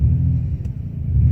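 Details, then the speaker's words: 1993 Ford Escape at 26 degrees: low, rough idle that sags and bogs midway before recovering. The engine is running on five cylinders with a cylinder 3 misfire caused by a failed ignition coil, and a check engine light follows. "it is 26 degrees out right now in that bog down sound and I'm only running on six or five cylinders"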